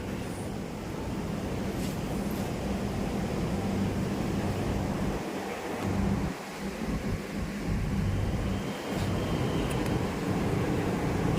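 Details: Toyota Vios that was hard to start on first start, after replacing the fuel pump assembly whose check valve let pressure bleed back to the tank; starts easily into a steady, even low idle with no misses or knocks.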